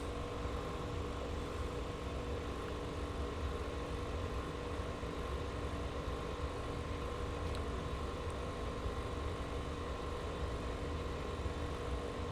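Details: Marantz 2500 stereo receiver, apparently never recapped, powered up through a dim-bulb series tester at start of restoration; internal cooling fan comes on at full speed, steady loud rushing air with constant low hum, while unit stays in protect/soft-start.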